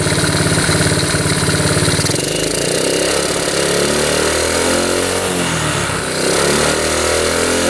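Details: 1972 Honda CT70 small single, bought at auction with a bogging problem, idling evenly after a brief blip right after the points were readjusted; timing F mark lines up with the notch, idle turned down, no misfire or pinging: normal idle.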